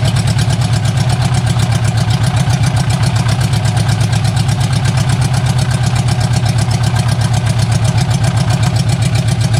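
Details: Barn-find bug-eye Sprite stored 30-40 years, after starter rebuild, idling on its own on open exhaust manifold only: loud deep even raw pulsing about four beats a second; sounds not too bad.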